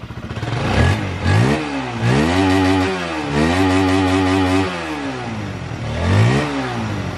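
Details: First-generation Honda CB150 fuel-injected motorcycle after injector and weak fuel pump faults were fixed; fires straight up, even normal idle, quick blips climb cleanly and drop back, running properly.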